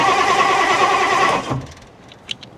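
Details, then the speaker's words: 1960s Ford Thunderbird that sat 16 years, loose spark plug wires: steady cranking, then a brief cough about 1.5 s in before quiet; fuel starvation, owner suspects no gas in tank or clogged fuel line or carburetor. "sputtered for a second. That's huge, dude. It ain't got no gas in it."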